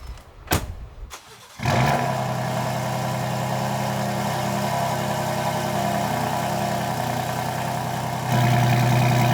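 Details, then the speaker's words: Ford F-150, after transmission filter, fluid change and Lucas anti-shudder additive, cold start; catches within a second into loud deep even rumble at idle, no misses. Normal cold start and idle. "But this truck is pretty loud when you start it up in Baja mode. You can tell even after the initial cold start, it still rumbles very loudly."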